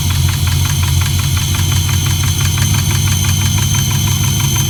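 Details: LS1 V8 idling in neutral with a sharp, steady knock about six a second over its low rumble; rod knock or a collapsed lifter is suspected, not confirmed.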